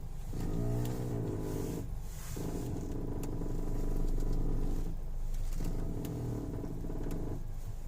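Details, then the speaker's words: 2007 Citroen Grand C4 Picasso, 133,182 km, idling: rough creaking crackle as the steering wheel is turned, louder and more intense with faster turning, seemingly from front left; silent when driving with wheel held still; cause unknown. "звук появился скрип сейчас давайте послушаем попробуем ведь он зависит от скорости вращения руля быстро круче интенсивнее не для них вручен так тоже потише какой-то как треск скрип не понятно что это"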